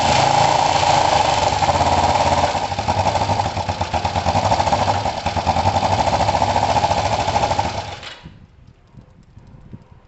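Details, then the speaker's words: Kawasaki ER-5 twin after valve clearance setting and second-hand coil swap: uneven stumbling beat about three to four pulses a second with dropouts before dying; seemingly firing on one; owner suspects the carbs, cause unclear. "So it's running as terribly as it was before. It actually ran possibly a touch better before. It likes a bit of choke at the moment."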